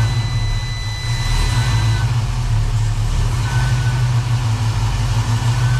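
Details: 1969 Chevrolet Camaro V8 after AC system replacement, idling during freon charge (about 18 psi low side, 140 high): steady, even idle with faint constant compressor hum; healthy.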